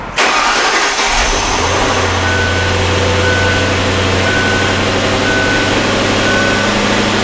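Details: 2003 Lincoln LS after fitting a new AGM battery that was charged first: starter catches within a second, engine fires and settles into a steady even idle with no misses or knocks; normal start.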